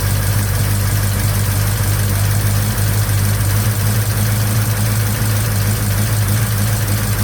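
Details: 1956 Chevy Bel Air 307 V8 run for the first time after restoration: steady lumpy idle with a low hum and faint uneven top-end clatter, valve train loud like a diesel; lifters suspected, valve cover off during the check.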